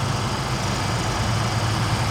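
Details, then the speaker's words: Ford Raptor at cold-start idle: light fast metallic rattle over deep steady hum, more pronounced after a small rev and let-off; loose turbo wastegate actuator linkage, amplified through the hollow driveshaft. "Okay. And then if you give it a tiny rev and let off, and then now it's more pronounced, right? Yeah. Okay, so that's your turbo actuator."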